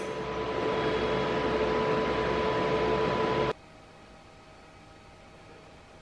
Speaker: so with this one you should not only hear the change in Pitch from a different amperage settings but you should hear the change in Pitch between the high and low of the pulse it's basically pulsing the uh current up and down as I [Music] [Applause] go